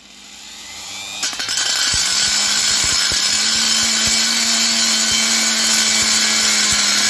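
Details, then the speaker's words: Parkside PGS 500 A1 die grinder, 500 W, 220 V brushed motor, grinding welded corners of steel boxes: spins up to steady high whine with hiss and light regular ticking. Normal operation. "Maintenant, je broie des boîtes en acier dans le coin où elles sont soudées ..."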